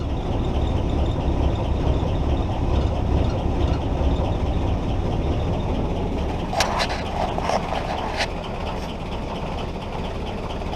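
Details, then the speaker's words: Willys Jeep L-134 Go Devil four-cylinder, after 35+ years sitting, clutch in: first time running on its own without starter fluid, low steady rumble at even idle with a few light taps near the end; running cleanly. "okay so i'm putting uh the clutch in and it seems to be running so this is the first time this thing's run on its own besides starter fluid so pretty excited about that"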